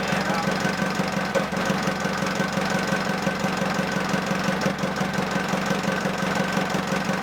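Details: Ford Transit 2.5DI diesel, first start after cleaning the inlet manifold and priming the high-pressure fuel lines: a steady, even idle clatter with a smooth beat and no hunting or misfire. Normal idle.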